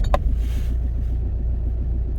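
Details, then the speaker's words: Car just arrived, started up: quick clean crank catches straight away and settles into an even low idle rumble; healthy starter, normal start. "a lovely starter, is that."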